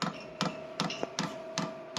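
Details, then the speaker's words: Diesel air heater start-up cycle in cold conditions, with the fan running and the internal glow plug heating: the fuel pump ticks sharply and evenly about 2.5 times a second, metering normally. "Écoutons la pompe maintenant, puis lorsqu'elle est fermée on l'entend évidemment beaucoup moins."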